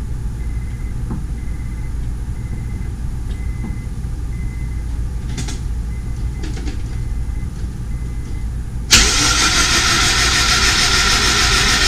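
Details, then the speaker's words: Honda S2000 engine cranked on the starter with spark plugs out, fuel off, no coils and throttle closed, to lube it before the first start. Quiet hum, then a sudden loud, even, free whirring crank with no firing. Normal plugs-out cranking. "I wanted to crank it over without any plugs in it. That way it cranks over a little bit easier on the engine."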